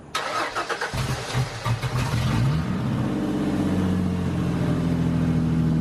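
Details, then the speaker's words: 3.8 V6 SN95 New Edge Mustang drift car, first start after a blown head gasket was replaced; exhaust on the headers only, not connected after the Y-pipe. It cranks about a second, catches and settles into an even, steady idle. "but she sounds great"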